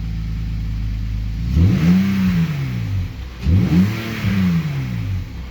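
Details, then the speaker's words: BMW X5 bought with blown engine, revved twice from idle after suspected dirty oil: tick fades as oil circulates; metal pieces later found in the oil and torn-open oil filter. "Yeah, there's some metal pieces there. And I also tear open the oil filter. So there's a lot of metal pieces here now."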